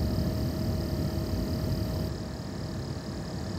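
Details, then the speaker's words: Nanlite Forza 60C RGBACL LED light running: steady airy rush with a thin whine, pitch inconsistent, sometimes lower, sometimes loud whining, louder than a 300W light; owner blames low-quality fan. Loud cooling fan noise. "next i want to point out the fan noise is noticeable but the biggest problem is the fan noise is not consistent"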